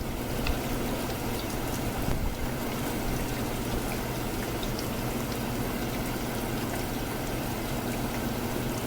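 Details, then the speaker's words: Evaporative swamp cooler after replacing pulley-side pillow block bearings: steady water trickle over an even low motor hum, no squeal or chirp, running healthy. "these are called pillow block bearings it sounds good"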